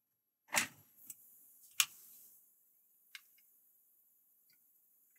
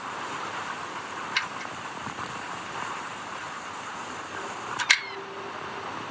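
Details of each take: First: Sony Vaio P11Z netbook that would not power on, being powered up for repair: a few sharp isolated clicks about a second apart over a quiet room as the hard drive spins up and settles; the drive sounds healthy. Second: Sony Vaio P11Z netbook, power supply shows output: on power-up, soft hiss with two sharp hard-drive clicks as the drive tries to wake, screen flickers once, then it shuts off and the power LED goes out.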